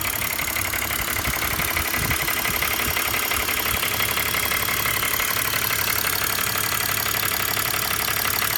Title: 05 325i M56 Rattle noise